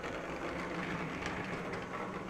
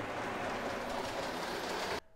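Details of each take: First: Lionel U36C O gauge diesel locomotive motor, run in reverse: harsh gritty gear buzz while whirring, then cutting off; the gears appear dry and need lubrication. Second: Lionel/K-Line O-gauge diesel locomotive on a track test pulling a bay-window caboose after cleaning and greasing: steady, even whirring with no grinding, then stops; much smoother and quieter than before.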